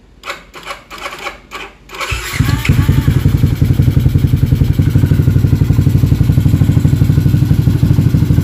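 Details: Up-spec daily motorcycle engine, aftermarket exhaust, just refitted and first start: brief crank, catches and settles into a steady even idle pulse about four per second, no knocks or rattles; healthy.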